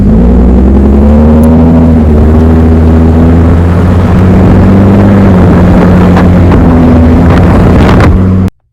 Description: This is just to show how an exhaust leak will sound like….